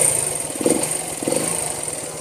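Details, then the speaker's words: 1973 Honda CB125 single, unused for months, started with one kick: soft, quick, even putter at low idle, no knocks or misses, smooth and healthy. "Jadi ini walaupun lama banget nggak kita pakai, kita hidupkan, kita engkol sekali, itu pasti hidup. Dan mesinnya halus banget mesinnya kayak tepung."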